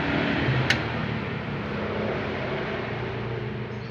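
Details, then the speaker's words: Yamaha N Max at key-on: steady low fuel pump priming hum with a faint whine. The pump and pump IC were fine; the no-run fault was only in the wiring to the fuel pump. "Alhamdulillah berdengung. Akan kita coba starter."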